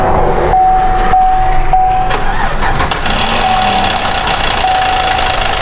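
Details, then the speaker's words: GMC 1500 5.3 V8 at 154,490 miles, owner reporting a little tick: loud, uneven rapid ticking up front over the idle, suspected in the accessory drive, not the manifolds. "Let's go ahead and have a little peek at what's happening here. I think it's something in the accessory drive."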